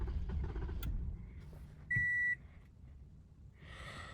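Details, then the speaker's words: 2015 Toyota Camry with push-button start; the owner had replaced the fuel pump and ignition coils. It catches, runs about a second, then dies abruptly and a chime follows, a start-then-stall. "This is a push button start. See if it does it. It starts for a little bit and then shuts off."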